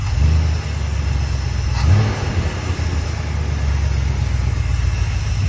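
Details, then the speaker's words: 1972 Dodge W200 Power Wagon V8, freshly started after years sitting, 40 PSI, smoky: deep steady even idle with no misses or knocks; running fine after high idle cam adjusted. "That was fun. Just sitting here idling. Not bad."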